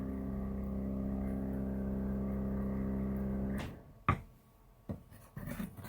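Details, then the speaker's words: Jayco travel trailer's drinking-water dispenser pump after the owner's noise-reduction fix, measured at mid-50s dB against a mid-20s ambient. A steady, even low hum runs for a few seconds, then the pump shuts off. It is quiet and rattle-free. "here's the sound of the pump that puts it up into the middle 50s I'll do it again just a little BL ow"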